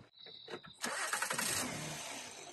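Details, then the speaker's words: 2010 Honda Odyssey that starts then immediately stalls; uneven cranking pulses, rough catch that sags and fades. With the MAF sensor unplugged it died on the first attempt, then stayed running on the second in backup mode. MAF fault suspected. "it died again. But on the second attempt, it stayed running."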